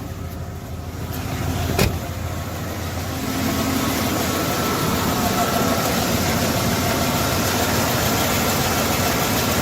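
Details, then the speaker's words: 1992 Ford F-150 4x4 with a 302 V8, sitting for 10 years, with old fuel drained and five gallons of fresh gas added: it catches and idles with an uneven, lumpy beat. It runs a little rough, and the plugs, wires, cap and rotor are still unreplaced. "Oh, yeah, it is. Runs a little rough."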